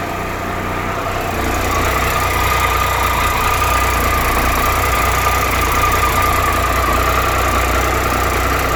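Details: 2013 Triumph Tiger Explorer motorcycle, 31,000 km, ticking when cold and warm; a steady idle carries a fast, light, even tick, like valvetrain chatter; the cause is not confirmed, and the owner is having the dealer do the valves.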